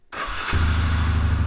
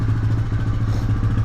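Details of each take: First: 1999 Honda Fourtrax TRX300FW 4x4, warmed up: slow, uneven low thump at idle that sags and lopes on the verge of stalling; idle speed set too low, idle screw turned up improves it. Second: 1999 Honda FourTrax TRX300FW 4x4, warmed up, after turning idle screw up from near-stalling: low, steady single-cylinder idle thump with no stumbling or hunting, running evenly.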